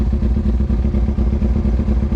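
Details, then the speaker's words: Carbureted Kawasaki Ninja ZX6R after rebuild, warmed up with choke open, idle set to 1,000 rpm so it won't stall at stops: steady four-cylinder burble, even firing pulses, no misses; runs fine warm, poorly when cold. "And when this engine warms up, it runs fine. That's just how carbureted bikes are. And I had the RPM set for 1,000 RPM, so it doesn't stall out whenever you come to a stop."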